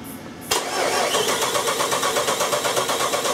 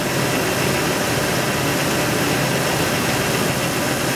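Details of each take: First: Jeep 4.7 V8 cranking with the starter spinning evenly at about three beats a second but never catching: a crank-no-start caused by a failed cam sensor. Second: Jeep 4.7 after a cam sensor no-start fix, now starting and idling evenly with steady hiss and hum, no misfire stumble or knocking; normal idle.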